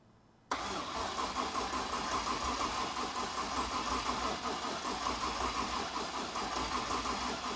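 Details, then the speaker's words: Ute project car without a driveshaft, first start after fuel pressure set to about 58: engine catches at once and settles into a steady, even idle; it spat some unknown fluid. "it's running it's running okay so it starts okay it's also spat something everywhere here I don't know what that is but we made it run"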